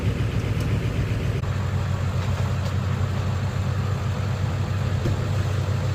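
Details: Ford 7.3 Powerstroke diesel after replacing suspected bad crankshaft position (CPS) sensor for cutting out/no start: even steady rumble, no stumbles or cut-outs over six seconds; smooth healthy idle after fix.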